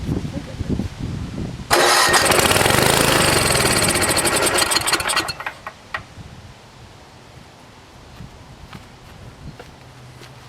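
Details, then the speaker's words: NOMA 8hp snowblower in cold weather, fuel on, no primer: rattly cranking at about four turns a second for 3.5 seconds that never catches. Fuel starvation. "there's still no gas getting to it right now we've got the gas on and there's definitely not nothing coming out of the needle"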